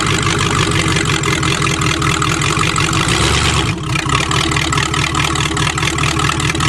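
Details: Previously hydrolocked Chevrolet engine after water cleared and plugs refitted, some still wet, started on choke: catches and settles into a steady even idle, no knocking or misfire; running cleanly again.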